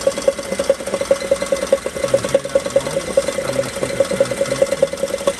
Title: Holden/ Chevrolet Commodore VF| SV6 | Automatic Transmission Noisy |